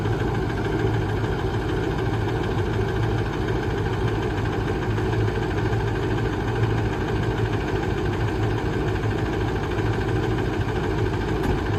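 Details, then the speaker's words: Ford 6.0 Powerstroke diesel truck with ZF6 six-speed manual, idling steadily with a faint uneven stumble and occasional skipped beat. It has a slight misfire the previous owner gave up fixing; cause not yet found. "So yeah, there's a slight misfire in the engine, as you can hear. That's just the reason why we're buying it, because it's cheap, because it's got a misfire, and the owner's sick of messing with it."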